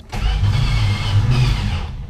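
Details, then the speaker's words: 1962 Plymouth Valiant 170 Slant 6, 63,000 miles, abandoned 20+ years and freed from a seized state, run on old chainsaw gas; fires unevenly and stumbles, running poorly, with ignition timing possibly way out. "it runs but poorly so it might be the timing is way out"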